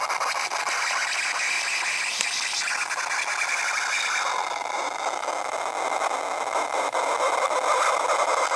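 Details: MacBook Pro right speaker: harsh scratchy screeching hiss continuing loudly even though sound is muted; cause unknown.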